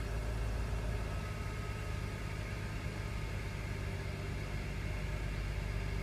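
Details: 2009 Mercedes-Benz E350 (W211), M272 V6, 82,258 miles, started right after new spark plugs, with the intake pieces still off, to check the coil packs are seated; a quiet, even idle hum under a steady hiss with no misses or stumbles, running smoothly.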